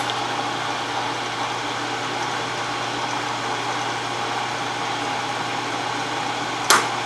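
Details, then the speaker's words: Wells Index Model 40 mill after restoration, 1 HP 1750 rpm motor, switched on just before engaging down feed: smooth, even hum and whir at constant pitch with one brief click, no grinding; normal running. "So, let me turn it on. Oh, it sounds good. Sounds nice."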